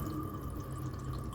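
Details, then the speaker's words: Bailey Phoenix 650 caravan water pump priming from a full Aquaroll; steady low pump hum with thin whine and irregular splashy drips at the tap, a few normal air gasps before flow settles. "When you press that on and you have your Aquaroll full and it's bringing water through, you may have a couple of gasps just like that, but it will eventually"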